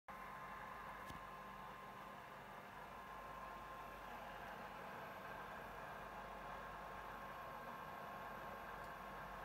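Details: PS4 console fan running far louder than it should at rest, steady even whooshing air with no knocks or grinding; loud cooling fan noise.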